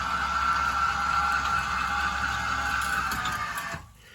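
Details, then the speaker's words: 2021 Dutchman Aspen Trail LE 26BH travel trailer electric stabilizer jack extending: steady mid-pitched motor whine that winds down under load as the jack touches ground and lifts the camper, then stops; normal. "Alright, so once it touches the ground, you'll hear the motor kind of wind down a little bit, and you'll be able to see the camper pick up a little bit."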